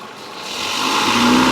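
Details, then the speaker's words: 2013 Ford Fusion with a rattle in reverse, power-braked in reverse after a rock was found and removed: a steady engine note climbing smoothly under load with no rattle, tap or buzz; it sounds healthy. "okay you don't hear nothing in there okay that rock was our problem"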